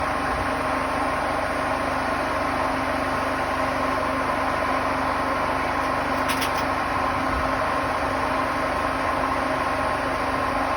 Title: Hotpoint Smart Tech WMFUG742 || Slowing down from 1400 for the very last time with bad bearings